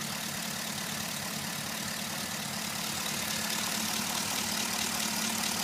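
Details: G8 at idle after the dealer installed new lifters: fast, light ticking, roughly three or four taps a second, over a hissy engine note. It sounds like lifter tick.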